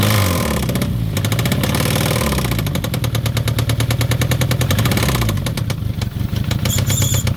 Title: review, starting Citroen ZX 1.9 Engine knock